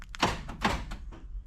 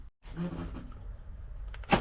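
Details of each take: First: Vauxhall Movano van central locking with sliding-door ajar warning on dash (misaligned door contact pins): quick double clunk, lock then instant unlock, as the van reads the sliding door as open; central locking re-unlocks due to door ajar fault. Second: Vauxhall Movano van central locking, locked by key after bypassing the sliding-door ajar warning pins: one firm solid clunk with nothing after, locks now hold without auto-unlocking; normal central locking operation.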